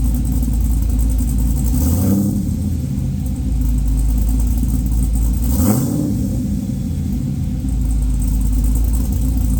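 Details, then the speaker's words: A newly LS-swapped 1985 Trans Am with a Brian Tooley Red Hot cam and an unfinished tune, warm (not a cold start), before its first drive. Deep, lumpy, choppy idle with two brief throttle blips; the lope is from the cam. Normal cammed V8 idle. "let's get this Beast started and he what it sounds like with the Brian Tuli red hot cam"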